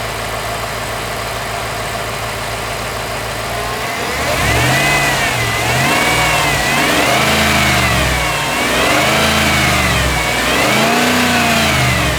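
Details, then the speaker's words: Lifted Jeep Limited, just back running after months of repairs, recorded with the camera set up to hear the start: catches after a few seconds, settles to a steady idle, then revs rise and fall smoothly; running clean. "Let's start this engine. I'll set the camera up right here so you can hear the engine start."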